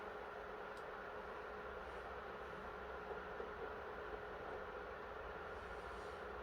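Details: PS3 after NEC/TOKIN capacitor repair, previously shutting down on PS2 Classics and The Last of Us, on custom firmware keeping temps below 65 degrees: smooth constant fan rush with faint steady hum, no rattle or surging; cooling fan healthy under load.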